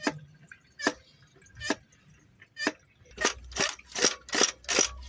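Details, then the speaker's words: Ford Transit MK8 tipper with DPF full warning (P244C, P26A2, P2463, temperature too low for regeneration): cleaning fluid pumped via brake bleeder into DPF pressure pipe, sharp hissing spurts quickening as pressure builds, spraying and foaming; normal. "so what i like to do is get the pressure build up as high as i can on this because once the pressure is high it doesn't just dribble it in it actually sprays it in so you get it foaming just like that"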